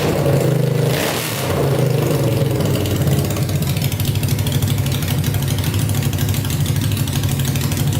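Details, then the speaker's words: Tractor swapped with a 500cc Honda engine, first start on fresh gas after a carb clean and wiring fixes, spark on all 4 plugs, no coolant yet: loud, deep, steady idle with an even beat, no misses, knocks or hunting; healthy. "But man, that thing is loud. My whole body is just rumbling right now. It's just shaking. It's like you can feel it just vibrate your whole body. Sounds really good. Idles perfectly."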